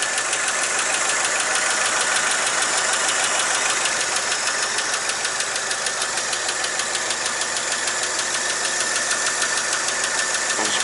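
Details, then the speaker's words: 1959 Chevrolet Apache 3100 pickup after exhaust manifold gasket replacement, oil possibly a little low; fast even sewing-machine ticking about three a second over steady idle, owner says always sounds like that; normal valvetrain chatter, no knock. "you don't know that saffit sound just that's just normal it always sounds like something like sewing machine"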